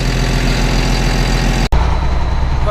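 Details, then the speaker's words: Jarraff mower diesel after oil change, new hydraulic filters and Fecon head belt tensioner repair: steady low rumble with an even note and no knocking apart from one brief dropout; idling smoothly. "all right guys well like I said I got it all fired up here got everything done on it just kind of want to show y'all hear it all running everything show you how it all turned out so fingering that it's pretty good"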